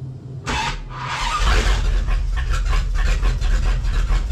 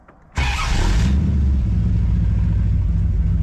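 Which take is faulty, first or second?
first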